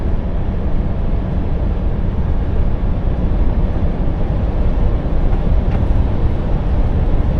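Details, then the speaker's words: Truck at cruise pulling about 40 tons loaded: deep, constant drone fills the cab with no knocks or whine; persistent low boom of unknown origin. "And this droning noise again, it's about to send me up the wall, this thing."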